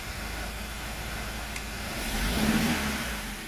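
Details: 2005 BMW E90 320i N46 after a new timing chain, oil pump chain, balance shafts and VANOS solenoids: a lumpy, uneven idle that smooths with revs and runs smooth with a solenoid unplugged; cause not found.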